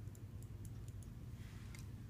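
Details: Computer mouse after fixing double-click fault by reseating the switch spring: crisp single click with no bounce or second click, switch sounds normal.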